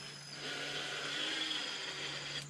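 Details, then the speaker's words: Craftsman 19.2-volt cordless drill, about ten years old, on its old battery: a brief high motor whine that sags and cuts out; the battery no longer holds a charge. "got no juice anymore this is all the way see it doesn't hold the charge anymore"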